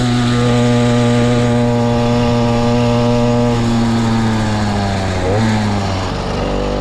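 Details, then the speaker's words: Motorized bicycle ("the Mule") small two-stroke kit engine, brought in for a no-start; even buzz with steady pitch sagging slightly near the end; starts and keeps running cleanly before teardown, which later found fuel in the float and a thin clutch pad. "sounds good I really really dig this bike"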